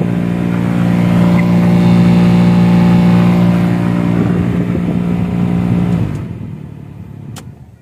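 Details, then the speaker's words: Maruti Alto K10/Alto 800 cabin blower fan at speed 4: loud buzzing drone, steady low hum and whole-dashboard vibration, with greatly reduced airflow; runs fine at slow speed, then winds down. Noisy vibrating blower fan at top speed. "हवा का जो flow है वो बहुत कम हो गया है friends, और जो वाइब्रेशन और आवाज़ आ रही है इसमें से बहुत तेज़।"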